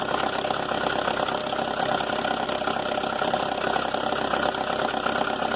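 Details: Mercedes A160 at idle, also with a slipping clutch from an apparently wrong disc: busy, uneven metallic chatter at roughly three per second; timing chain rattle, blamed on a clogged chain tensioner losing its thread in the head.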